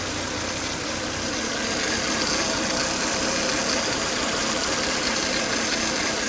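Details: Volvo S80 2.5T engine after 10 to 20 minutes running: thin high whistle-like whine over a smooth idle; high intake vacuum sucking hard at the oil cap, caused by failed crankcase breather box, solved by replacing the breather box/filter.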